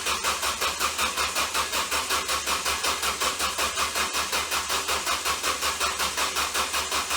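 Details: Ford Focus that won't start: labored, very regular whirring chug at roughly three beats a second and the engine never fires; slow cranking from a bad starter, shorted and burning up.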